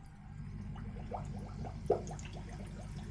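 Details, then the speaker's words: Zacro aquarium air pump with its adjustable air valve opened further in quarter turns, driving an airstone and moving lots of water. Only a very low steady hum under heavy irregular bubbling from the stone; the pump runs quietly. Normal air pump running. "Still only a very low hum. That's gougling like a good one."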